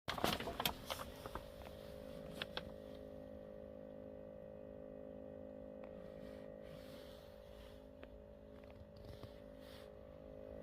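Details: DAF truck cab: a steady, even buzz at one pitch with no clear source, still present after two days at the dealer, who failed to cure it.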